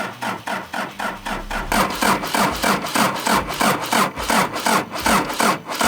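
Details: Daihatsu Scat 4x4 diesel, sat about 15 years: slow, even cranking chuff, about three a second, with the first rough firings. The fuel pump rack is driven by hand while cranking because low fuel delivery at the pump is suspected.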